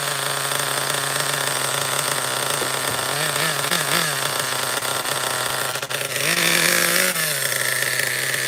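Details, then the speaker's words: Schumacher XTR-3E nitro stadium truck on first fire-up restart, no preheat, engine very cold: small high-pitched engine wavers and stays low in revs, struggling to pick up speed; mixture beyond rich, no more RPM, needs leaning out. "oh yeah it was beyond rich I couldn't get any more RPM I'm going to lead it more okay that was an indication of richness"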